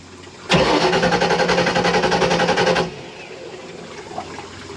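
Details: 1986 Shamrock 20 boat, Ford 302 V8 not started in 3 years: starter turns engine steadily, about four compressions a second for two seconds, never catches; fuel starvation, dry carburettor.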